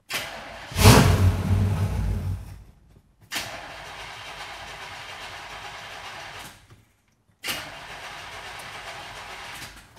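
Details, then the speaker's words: 1965 Impala/Nova build, carbureted engine primed with fuel in the bowl: fires loudly, runs about two seconds and dies, then two weak tries fade out; stalling from fuel delivery fault, pump-to-carburetor line leaking. "well our fine automobile the only fuel line that we haven't replaced yet from the fuel pump to the carburetor is now leaking"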